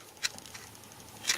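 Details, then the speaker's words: Bedini 2A12 Extreme pulse charger (2.5 A at 12 V) hooked to power, battery at 14.92 V: two crisp high-pitched capacitor-discharge ticks about a second apart, discharging about twice as fast as the older 2A12; normal. "Got a little clicking. That's how fast the cap is discharging, which is twice as fast, or maybe even a little bit more than twice as fast than the old charger,"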